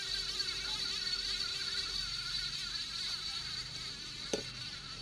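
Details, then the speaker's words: Ceiling fan hung on a screwdriver and powered up: steady high-pitched buzzing whine the whole time it runs, with no hum underneath. It is to be fixed without replacing the bearing. "मैं इसको supply में लगाता हूं तो देखिए यहां पर जैसे ही मैंने इसमें सप्लाई दी है तो ये इस तरह की इसके अंदर आवाें आ रही हैं।"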